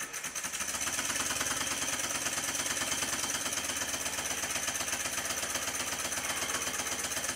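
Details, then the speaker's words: Rebuilt Stuart 10V steam engine on compressed air, after final main bearing bolt tightening to cure tight spot at bottom of stroke: light, even chuffing just under three beats a second, no bearing knock; very quiet. "after a final tightening of the bolts that hold the main bearing to the sole plate it sounds like this it's so quiet you can actually hear me breathing in the"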